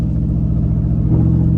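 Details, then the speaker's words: GM 5.3L V8 (2011 GMC Sierra / 2012 Chevy Tahoe), driving slowly on small roads. Choppy, lumpy rumble in AFM V4 mode suddenly fills out and smooths as it switches back to V8. Owner finds the constant switching annoying. "as you can hear and see we're in V4 right now and there is V8 popping back in which I mean it's it sounds all it sounds cool but it's very annoying after the first time you hear"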